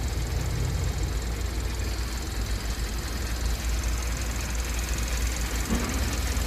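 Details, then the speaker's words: 2012 Kia K7 2.4 GDI Theta II after engine rebuild (boring, new oil pump, four ignition coils and spark plugs) fixing gravel-like noise and shaking: low, steady, even idle, no knocking or misfire; engine healthy. "차 엔진 소음도 조용해진 것 같구요 차 떨림 2 없어진 것 같습니다 엔진 보링 완성 했구요 엔진 소리도 좋습니다"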